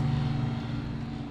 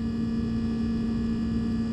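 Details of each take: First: Sub-Zero refrigerator after condenser fan motor replacement: low steady compressor hum with an even fan drone and good airflow, no rattles or clicks; inside temperature falling from almost 80 degrees; normal refrigerator running. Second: Sub-Zero refrigerator not cooling, with excessive compressor run error codes: steady low fixed-pitch hum of the compressor, which is over 200 degrees, with no fan air rush; condenser very hot because the condenser fan motor is not running.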